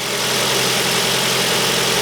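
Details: 2008 Ford Focus 1.8 petrol after battery reconnection, idling much quieter at 12.57 V; steady, even idle with a smooth hum and no squeal, chirp or rattle, sounding healthy.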